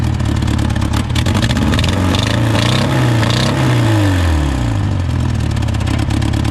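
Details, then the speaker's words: Honda Civic that sat about 10 years, first start after the fuel rail was refitted and fuel pressure confirmed. It smokes and runs with a lumpy, stumbling beat; cylinder 2 is dead, and its spark plug is to be checked. "runs it runs look at that and it SM smoke we do have a cylinder misfire let's see if we can find it"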